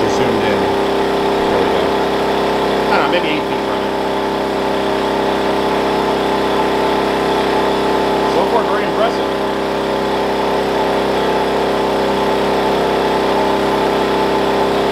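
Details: Wen 56203i 2000 W inverter generator (made 7/2020), break-in period, eco mode on running a 1+ ton portable AC, about 930–1200 W, about six feet away, ~64 dB; steady drone holding pitch without surging, healthy.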